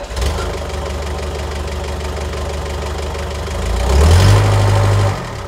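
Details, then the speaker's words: Car first start after fitting Cobalt exhaust manifold and Racing Beat sport cat: deep, steady smooth burble with a brief clean rev blip settling back; sounds healthy. "I think you'll agree that she sounds absolutely amazing"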